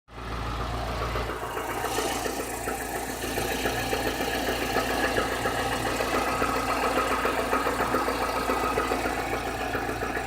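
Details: Chevrolet Niva engine at 45,000 km idling with a regular quick knock, about three or four a second, over the running note. The knock is clearly getting worse since about 30,000 km; the head was replaced under warranty in early 2017. Source unknown.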